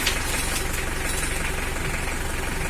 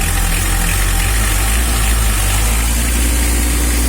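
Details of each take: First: Mitsubishi L300 diesel before injection pump adjustment: harsh, rapid tok-tok knock at idle, rough and noisy with weak power, because the injection pump setting is out of adjustment. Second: Mitsubishi L300 diesel idling after the injection pump was set: even, fine clatter with a deep unbroken rumble and no stumbles, where it idled rough before the adjustment; smooth diesel idle, pump timing now correct.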